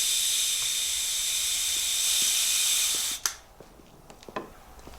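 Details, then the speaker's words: Kawasaki KDX200 two-stroke that runs rich, gearbox pressurised before main seal replacement; steady high hiss for about three seconds at the right-side crank seal; owner unsure the leak causes the rich running; crankshaft seal air leak. "that's air do you hear that air no at least you're honest there's a leak there I know it"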